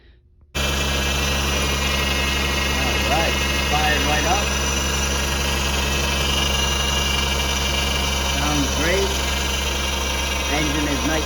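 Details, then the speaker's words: 2001 Acura MDX 3.5L J-series V6 after timing belt kit, new tensioner, serpentine and power steering belts: steady, even idle hum with light belt whir, no knocks or ticks; normal idle. "i already took the vehicle for a drive and everything is great response is great it's not lagging everything is great"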